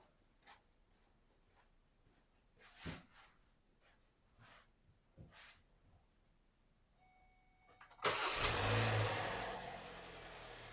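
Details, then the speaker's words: Kia Sorento just after car battery replacement: quiet handling noises, then a short crank and the engine catches at once, settling into a steady idle; started successfully. "Now all we got to do is start it up. All right, let's see if she fires"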